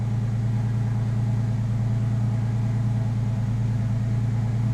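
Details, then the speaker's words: 2001 Porsche 911 Carrera 4, freshly rebuilt M96 engine converted from 3.4L to 3.8L, first start after rebuild with good oil pressure; deep, smooth, even idle with no ticking or knocking, healthy. "she sounds really really really good no ticking nothing I'll walk around so you guys can hear it what an amazing sounding car"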